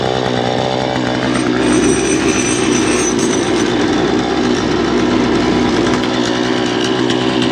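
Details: Poulan Pro two-stroke chainsaw, about 12 years old, cleaned up for a new season with its air filter refitted, running without its bar while the oil pump is checked. Steady high revs, even buzzing exhaust, no stumbling: healthy.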